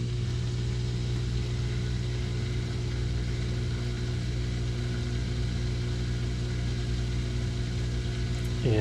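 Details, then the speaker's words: GE GDF520PSF6SS dishwasher drain pump after removing a plastic chunk that caused grinding, cycle cancelled: steady low hum with an even pump drone, no grinding or rattling, pumping into the garbage disposal; draining normally. "and we'll open it up and see if it pumped [Music] out I hear it pumping into the garbage disposal [Music]"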